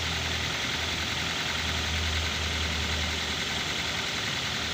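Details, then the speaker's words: Used car engine check (Avanza-type tips): idle then throttle gently raised, even steady drone with no "krok krok" knocking that would point to metal bearing or engine plate problems; normal idle. "kemudian kita gas perlahan-lahan suaranya itu harus normal enggak boleh ada suara krok krok krok gitu ya"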